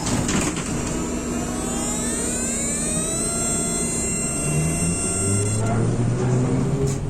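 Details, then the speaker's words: 1993 ZIU-683B articulated accordion trolleybus with thyristor pulse control, worn and battered, pulling away; whining tones climb steadily with squeaks from the articulation over low road rumble and converter hum; squeaking while moving. "トロリーバスはきしみ音を発します,子供の頃、そのようなトロリーバスが私の家の近くで働いていたときのことを覚えています."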